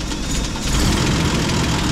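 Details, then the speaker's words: M8 Greyhound engine with rough, lumpy idle, uneven beat and occasional stumbles, during distributor and ignition overhaul; new ignition coil tried, plug leads and spark plugs tested, rotor found pointing almost between contacts; cause not yet pinned down. "hey so the engine's not idling too well so maybe let's see if we can understand if it's a caused by"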